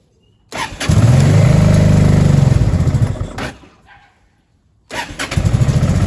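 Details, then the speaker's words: Honda Deauville NT650V5 after new plug caps, cleaned plugs, fuel in both float bowls, new battery: rough uneven chuffing with popping and backfiring, dies then restarts ragged, idling fast; timing needs adjusting. "Cranked it over until it came through, put a new battery on, and away it goes. With lots of popping and banging and running fast."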